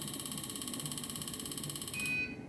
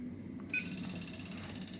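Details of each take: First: Injector bench calibrating a Siemens piezo common-rail injector adapter: rapid train of high electronic beeps for about two seconds signalling calibration completed okay. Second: Siemens piezo common-rail injector assembly on a tester, torqued about 55–60 Nm: rapid pulsed beep about fourteen per second; injector not yet correctly tightened.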